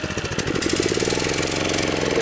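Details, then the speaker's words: DR Power TR1 walk-behind trimmer with 6.75 hp Kawasaki FC150V engine, after long storage: idles at a fast, even low-speed beat but won't rev up; revs and runs well only with choke on manually, suggesting a plugged carburetor main jet with slow-speed circuits working. "It just won't rev up. So I think that what that's telling me is the main jet inside the carburetor is plugged."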